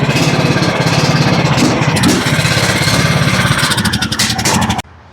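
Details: John Deere LA105 riding mower single-cylinder engine, 74 hours, previously would only run on choke: it now chugs at a steady, fast, even beat off choke until shutdown, with sound fuel delivery and normal running.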